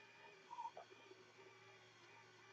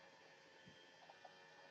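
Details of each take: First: Brunt Blind Engine motor raising a blind: uneven whining bursts sag in pitch as the small motor labours hard against the load pulling it up. Lowering is smooth. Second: Brunt Blind Engine smart blind motor lowering a blind: soft, even high-pitched hum with no knocks or strain while lowering; motor runs smoothly downward, though it struggles to lift about seven pounds despite a fifteen-pound rating.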